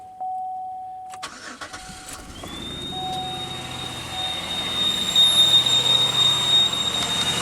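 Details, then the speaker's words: High-pitched squeal on a 2001 Pontiac Aztek GT that persists at idle with the alternator belt removed. Listening close at the harmonic balancer shows it is not the source; the cause is still unfound. The car also has a small gas leak. "doesn't really sound like it's coming from the harmonic balancer after all so it's something else which is now very interesting"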